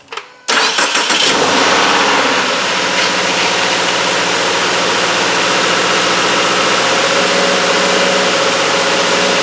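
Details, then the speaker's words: 2017 Subaru Outback, 59K miles, cold start after sitting overnight: harsh metallic clatter from timing chain tensioners for about five seconds until oil filter refills after drain-back and tensioners pump up, then quiets. "As you could see and hear, it took a good 5 or so seconds for that oil filter to fill up, and then the clatter from all the chain tensioners and things like that just stopped."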